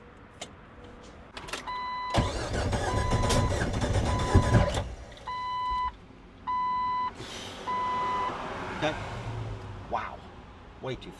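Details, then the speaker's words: Jeep Wrangler that spent two years at another shop, oil full and clean: uneven cranking with irregular pops spitting back through the intake, then warning chimes; the cam timing is 180 degrees out. "All right. Well, sounds like timing. It's popping back. It's doing all kind of stuff. It's popping back through the Sounds like the intake."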